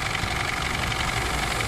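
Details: Isuzu D-Max 4JJ1 diesel with noise and low power complaint, idling: loud rapid harsh ticking clatter over the rumble, heard from top of engine and inside cab; possible valve clearance, timing chain or injector, not confirmed.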